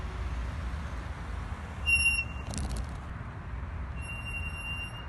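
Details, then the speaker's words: Mercedes W210 E55 AMG with the original E55 5.5 naturally aspirated V8 and transmission, while driving. A high, steady squeal comes and goes over road rumble; the brakes are stuck and squealing. "but brakes are stuck and they are already squealing louder than teenager adjusted bieber concert"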